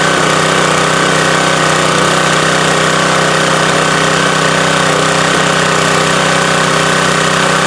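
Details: Subaru electric-start pressure washer engine after oil refill (over-soaked air filter suspected as leak source): steady, even small-engine drone, no misses, knocks or surging; runs healthy, no oil or fuel leaks seen.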